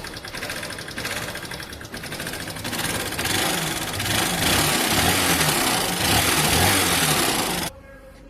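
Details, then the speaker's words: Old-model Honda Shine motorcycle that won't pick up but doesn't smoke. Loud, rough mechanical clatter at about three to four knocks a second over an uneven idle. Connecting rod and crank bearing knock. "के अंदर से आप देख सकते हो काफी ज्यादा sound आ रहा है। लेकिन एक बात है गाड़ी स्मोक नहीं दे रही।"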